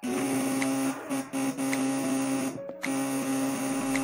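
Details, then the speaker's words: 3 kg machine with jumbo contact breaker (platina) at 24 V, loaded to about 1200 W: steady buzz near 250 Hz holds firm with brief dips; slightly louder than standard platina, still strong and healthy. "jadi suaranya standar platina cuman dia agak lebih nyaring ya"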